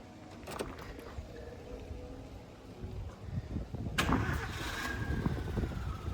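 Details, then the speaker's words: Chevrolet Spark gasoline engine after repair following overheating and head work: short crank, catches about four seconds, settles into even idle with no knock; earlier tak-tak detonation noise is gone. "आवाज तो दोस्तों खत्म हो गई ना दोस्तों ये सुन रहे हैं ना अपन स्पार्क की जो अपनी आवाज है बिल्कुल वापस आ गई दोस्तों"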